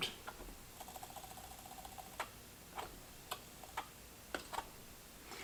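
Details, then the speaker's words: Late-1970s Ford quad 8-track/AM/FM car stereo before repair, after oiling: faint, irregular sharp ticks about twice a second as the tape drive catches and jams; motor suspected dead or binding inside. "okay as I said this thing's jamming"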